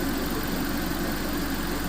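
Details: Warm petrol engine idling smooth and even, a steady low hum with no knocks or misses. This is after repair of an aluminum-contaminated cooling system, running a dish-soap water flush; it sounds healthy.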